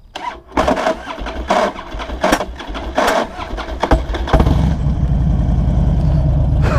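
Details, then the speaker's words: Harley-Davidson Dyna FXD V-twin at startup after the in-gear rock-and-neutral workaround; harsh, uneven cranking snags come in lurches before the engine catches and idles. Primary-side starter kickback; the workaround didn't stop it. "ela ainda deu uma enroscada nervosa não era para isso acontecer a para tecido para ter pegado melhor mas deu para vocês verem como que o barulho é feio e assusta o cara né barulho muito feio mesmo"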